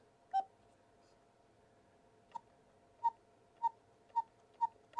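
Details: Vintage cuckoo clock before cleaning and restoration, after a weak first attempt: clear evenly pitched whistle notes repeat about twice a second with no wheeze; the cuckoo call sounds a lot better.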